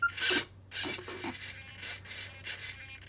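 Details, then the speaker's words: RC car steering servo on a Flysky G11P transmitter with FS-R4B receiver: short, high, raspy buzzing at full lock as the servo strains, because the endpoint is set too far; fix is to reduce the steering endpoint until the straining stops. "Basically, you just want to bring the steering down till you can hear your servo saver not struggling. And then if you lift up the RC, you can see this is still struggling a tiny bit."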